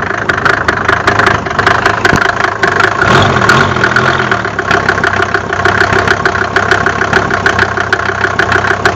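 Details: Mercedes OM605 diesel at idle: sharp, fast knocks riding over the rumble, keeping pace with idle; abnormal engine knock, cause unknown.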